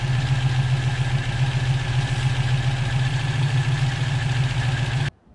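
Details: Volvo B18 engine with Weber 32/36 carburetor after idle circuit retuning, mixture screw at 1¾ turns, K&N filter: steady, even idle with a smooth low beat and no misses or hunting, then shuts off; normal idle.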